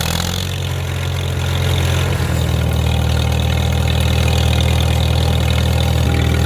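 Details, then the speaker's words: Farmall M tractor engine running normally after re-crimping a loose wire, testing a new double fuel-filter setup, not yet under load: deep, steady note that picks up a little and holds an even beat with no misses. "Now we can check out how the filter's working. I should say multiple filters. Sounds nice and throaty."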